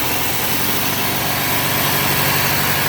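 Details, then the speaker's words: Bolens AJ Foyt 3014H lawn tractor with a Briggs & Stratton 14HP opposed-twin engine, started with throttle up and choke on after replacing the starter solenoid and adding a direct ground wire, no hot-wiring needed: even, steady chugging with no misses or knocks. Normal idle. "All right. Still like to figure out the other issues, but at least I can start it up now without having to do the hot wire thing."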